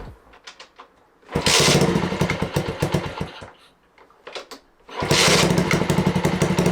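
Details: Honda Dax project with a new wiring harness, carburetion set up and a Keepspeed exhaust line, at its first start. Kick-start attempts, then the engine catches twice and runs with a rapid popping exhaust beat, starting normally.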